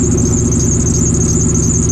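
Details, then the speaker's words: Supercharged car after belt replacement and X-pipe install: steady high-pitched squeal constant over the running engine; alternator pulley squeal. "Oh, it's that one. That's pretty much the alternator that's doing that noise."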